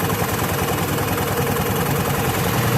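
Steady, even idle with a low smooth drone and no rattle or clatter from the belt drive; the scooter sounds healthy.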